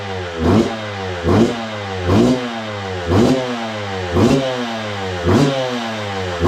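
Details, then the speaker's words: 2002 Yamaha YZ125 two-stroke dirt bike that sat a long time, first run after cleaning, choke on: crisp throttle blips about once a second, revs rising and falling cleanly; no knock or clatter, crank sounds good. "Crank sounds good. There's no knocking or clattering, which I honestly didn't think there was any problem at all with the crank after, you know, looking at it, cleaning it up."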